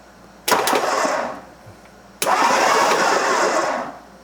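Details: 1963 Ford Thunderbird engine, sitting over 35 years, cold morning, crank with plugs out: two short bursts of smooth, even starter whir with no binding, scraping or clunks; turns over freely, normal cranking.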